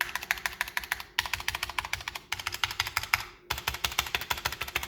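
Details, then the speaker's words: NZXT Function mechanical keyboard with linear switches, fast typing sounds clacky and hollow with spacebar rattle from bone-dry, unlubricated stabilizers. "There is not a drop of lube on these things, and it shows. You can hear the hollowness, you can hear spacebar rattle."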